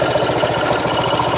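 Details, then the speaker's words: Honda Vario scooter on a diagnostic scanner at idle, engine temperature rising, compression not detected as leaking: a hard, rapid rattling knock of roughly fourteen a second over the idle, a loud mechanical noise of unknown cause. "nah suhunya naik di sini tapi suaran Kok kayak gini horor"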